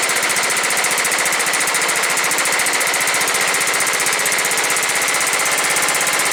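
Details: John Deere STX38 with a Kohler Command 13 hp engine, non-running before cleaning and reassembly: a fast, even popping beat at a steady speed with no misses or surging; it now runs cleanly.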